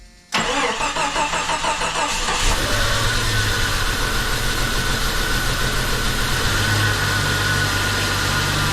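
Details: Jeep Cherokee, dormant eight years, running after an oil and fuel change: catches after a brief crank and settles to a steady idle with a faint hiss and odd whistle. Missing vacuum lines are suspected; the alternator charged above 13 V.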